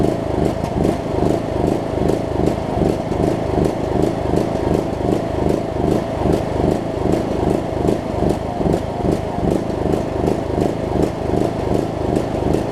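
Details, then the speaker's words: John Deere LA105 riding mower, unrun about three years, cold at about 40°F, after tank and carb cleaning: small single surges, rising and falling two or three times a second, lumpy and uneven; owner suspects gunk still in the tank. "second gasps like crazy though I think there's a still a little bit of gunk and whatnot in the tank that it might have to work out"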